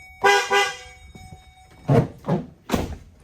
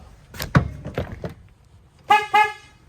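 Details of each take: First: 2008 Chevy Duramax after replacement: new horns mounted in a new spot on a new bracket and wired up. Two short, clear, steady toots with a full tone and no rasp or fade; it sounds better than the old horn. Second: 2008 Chevy Duramax old horn, mounted behind the headlight, before replacement. Two short toots with a thin, reedy, honky tone and little punch; the owner says it sounds like a clown horn.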